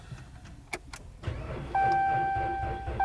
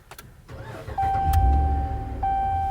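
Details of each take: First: Ram 1500, fifth generation, battery installed around 2022, starting harder in cold central Maryland weather, corrosion on the negative terminal: dash chime and fast rapid clicking, but the engine never turns over. No start from a weak battery, needs a jump start. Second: Fifth-generation Ram 1500 started right after replacing a weak battery in cold weather: short crank whir, catches at once and settles into a steady, even idle. Starts cleanly, and the intermittent check engine light is gone.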